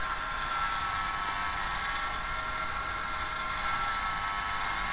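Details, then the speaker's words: Celestron telescope focus drive motor unit: thin, steady high whine from small motor that keeps driving about a minute and a half after commands stop; motor running on by itself, same on internal batteries or external power. "okay so the focus unit was still driving it kind of run away and it wasn't down to any commands I was sending to it"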